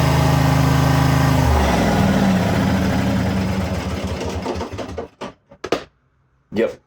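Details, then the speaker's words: International Harvester Cub Cadet 1641 lawn tractor, unstarted about 10-15 years, fresh gas, jump pack plus charger: starter churns, sags and slows to a stop within seconds, never catches; battery dead, weak battery slow cranking, needs new battery. "Needs a battery for sure. That's what it is."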